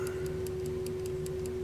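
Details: German Telenorma electrically wound mantle clock movement, possibly 1970s or 80s, single battery energizing a coil that pulls the armature to re-tension the spring; crisp, even ticks about five per second over a faint hum, running normally.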